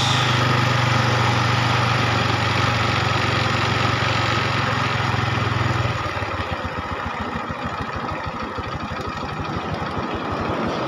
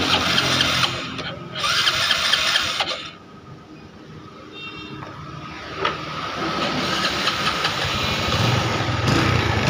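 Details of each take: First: Honda Revo motorcycle after carburetor service for a sticking, self-revving throttle and snapping cable: small single starts and settles into a quick, even putt, steady with no misses or hunting; normal idle before adjusting air screw. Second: Honda Revo carburetor motorcycle after carburetor service for a sticking throttle cable, idling with a slightly lumpy, uneven beat near three a second; the idle air screw is wound in too far, to be rebalanced.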